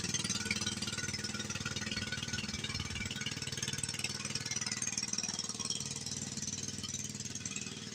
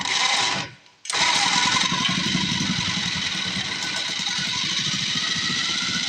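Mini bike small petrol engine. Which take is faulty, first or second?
first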